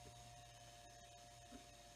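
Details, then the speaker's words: Marshall MG100HDFX solid-state amp, powered through jumper wires during a power switch replacement: steady, loud whirring drone with a constant hum and whine, no speed change. The cooling fan on the transistor heat sink runs rough and noisy and sounds like it will fail. "should i let it run that fan sounds like crap sounds like it's gonna die right out maybe maybe it'll quiet if it runs a while"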